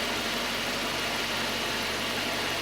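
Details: 2.0 Citroën C4 idling steadily and evenly after six days of cylinder head repair at a machine shop. Heavy hiss but no knocking or ticking; the head problem's engine noise is gone and it runs normally.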